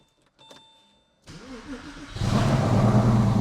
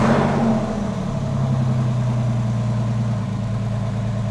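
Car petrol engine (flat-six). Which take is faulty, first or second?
second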